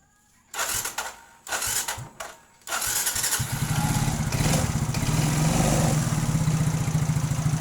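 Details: Yamaha Mio scooter: a few short cranking bursts, then it catches and settles into a steady, even idle; normal start and idle.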